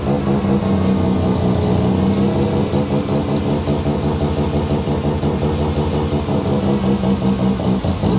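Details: Mazda 13B bridgeport rotary, first start after build, idling while coolant temperature is watched and the cooling system bled; loud, choppy, lumpy idle with steady deep drone and even rhythm, no knocks or rattles, healthy ported rotary.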